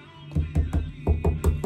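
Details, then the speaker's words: Loose bath wall tile re-set, tapped 24 hours later after removing the tape: seven even, dull, deep "clunk thunk" knocks with no hollow rattle; the tile is well bonded. "so it's the second day it's been 24 hours and so now the tape is gonna come off so let's check this listen to that can you hear that good just clunk thunk thunk"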